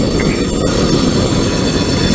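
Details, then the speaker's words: Long train climbing a steep grade on an elevated trestle: high shrill squeal over heavy rail rumble from wheel flanges rubbing the rail; sounds like a bad bearing but is normal flange squeal. "hey you can hear the uh flanges grinding on the track it almost sounds like Baron is going bad but it's not this this wheel's rubbing against that side"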